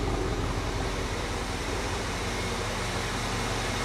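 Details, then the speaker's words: 1975 Ford F100 before a 3000-mile trip, first time idling for long, smoky: steady even V8 idle with low rumble and constant fan-like hum, no knocks or misses; started right up and runs healthy. "okay she started right up yeah she did runs like a cop check her oil"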